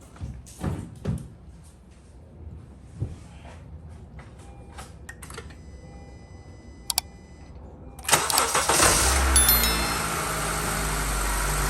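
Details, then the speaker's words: Car started after installing a brand new battery: quiet clicks, a brief crank, then the engine catches and settles into a steady, even idle with no misses; normal start and idle. "So friends, looks like it is fine. The car started nicely and you can heard the sound."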